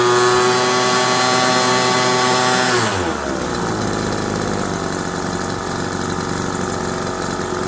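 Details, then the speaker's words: Craftsman 25cc two-stroke leaf blower after new fuel lines, diaphragm replacement, and carburetor clean and adjustment: busy buzz drops back to a steady, even idle without hunting or misfiring, so the mixture sounds right; normal idle. "25 cc's old craftsman idles really well you can hear the kind of the sound of how the gas air fuel mixture should be simply that sound"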